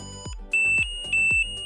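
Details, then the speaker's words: EESENS Guardian alarm being set up: sharp clicks then a steady high electronic tone repeating about every 0.6 seconds as each press of the remote's device button cycles through the siren sounds; siren tone selection. "Press again to cycle through. One option is silent mode, which only sends a wireless notification. Stop pressing to set the current sound."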